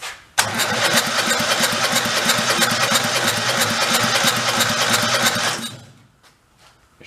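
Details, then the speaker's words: Engine for a 2000 Terramite T5C compact tractor loader backhoe whose own engine had thrown a rod, run briefly on fuel poured down the intake with the carburetor off: it fires at once with even, rapid pulses under a loud exhaust, no clacking, then shuts off. "doesn't sound clacky or anything let's go try one more time kind of hard to hear over the exhaust"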